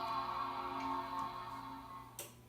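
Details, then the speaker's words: 1998 Apple iMac G3 after fitting a new speaker: the Macintosh startup chime rings out clean and fades with no crackle or buzz, new speaker working on the first try. "yes it worked as crisp and clear as day I heard the famous Macintosh starting up sound through the speaker awesomely yeah first try baby"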